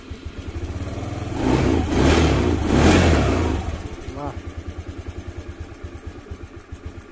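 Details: Honda Beat FI that had stalled and stumbled when throttled, after repair, with fuel pressure held above 30 and no leak-down: clean throttle blips, then a steady, even idle putter. It is now running properly.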